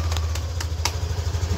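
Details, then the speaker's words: Yamaha NMAX V2 scooter engine idling with steady low hum, no knocking, after repair of engine knock/ticking noise by replacing cylinder block, piston, piston rings, valve seals and crankshaft. "Ah, balik na sa tahimik na buhay si paps. So, balik na sa tahimik na buhay. So, ito yung tunog niyang motor."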